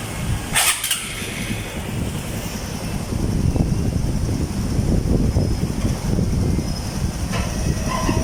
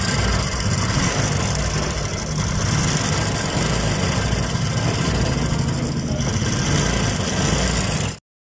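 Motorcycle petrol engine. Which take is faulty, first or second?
second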